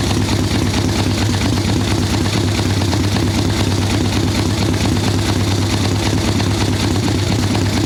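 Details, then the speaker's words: Harley ironhead Sportster XLCH chopper V-twin, Mikuni VM38 carb, idle circuit being tuned, fresh plugs, cold wet day: low, lumpy idle with uneven lazy beat that won't go crisp, "a little boggy, she's not happy". "A little boggy for sure. She's not happy at all."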